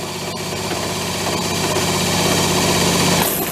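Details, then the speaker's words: Motor on a 7-foot mini speed boat being revived: it spins up with a steady buzzy drone and rising tone, then water gushes out as the freshly primed raw-water pump draws and pumps properly, kicking out dirt. "Alright, kind of hear it pushing back in. Let me go spin it one last time. There we go. It's going. It's wanting to go. Kicking some dirt out."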